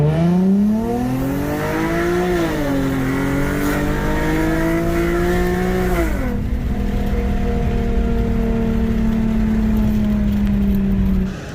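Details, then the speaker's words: Infiniti G37 coupe, VQ V6, after engine swap replacing a blown motor: smooth, even engine note climbing and dropping cleanly with revs, no knocks or ticks. "it has been about 2 weeks since I swapped the engine on this G37, and it actually does pull pretty good, and it's running and driving pretty good."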